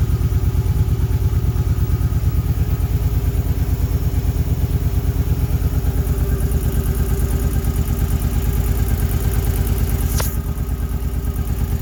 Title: Ticking sound 2008 Suzuki Boulevard C50